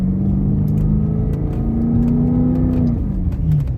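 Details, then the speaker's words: Cadillac STS after replacing spark plugs and coil packs, accelerating on the road: engine pulls cleanly as revs climb smoothly and settle, no knocks, misses or whines, some road rumble; transmission and engine running great, suspension rattles over bumps suspected from worn bushings. "but as it stands right now, mechanically, and that is transmission and engine, she is running great."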